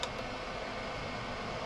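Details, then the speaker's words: Chinese 5kW diesel heater in motorhome, unplugged before cooling down; fan still running after shutdown though unit is cold, gauge reads hot; steady fan whoosh, no burner sound; factory reset attempted. "Yeah, well, there's definitely still something wrong with it, because that fan is still running and that is now cool. There's no heat at all coming out of there. So it should have shut down."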